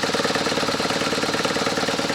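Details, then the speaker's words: BMW R1100RT motorcycle, after an oil service and topping up oil: smooth, even idle with a steady quick beat, quite quiet engine with a somewhat noisy exhaust, no knocking, grinding or ticking; normal idle. "Хорошо, моторчик работает. Довольно тихо. Выхлоп шумноватый. А сам двигатель очень тихий. Нет никаких шумов, скрежета, стука."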